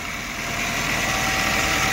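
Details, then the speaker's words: 2005 Nissan Altima, previously wouldn't start; after cleaning intake sensor, new filter, sand cleared from intake manifold, oil top-up: smooth petrol idle with light hiss, settling slightly higher, steady, no misfire; alternator and belts okay, normal idle. "Alternators running. The belts look okay to me."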